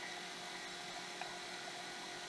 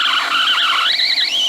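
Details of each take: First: Apple Macintosh LC, about 1991, first power-on with a replacement PSU after sparks near the PSU connector: startup chime and fan, then a noisy Quantum hard drive whines and ticks as it seeks and boots; sounds normal. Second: Apple Macintosh LC running on a makeshift replacement 5 V supply after its original power supply blew a component. High, wavering electronic whine drifting in pitch with no mechanical noise, source unknown: electrical whine.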